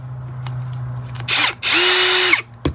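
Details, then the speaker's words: A Ryobi cordless drill compared with a new compact Matebo. Two quick trigger pulls, each a clean, high motor whine that spins up and winds down evenly, sounding identical to the Matebo. Normal operation. "They sound exactly the same. Pretty sure those two are made in the same place."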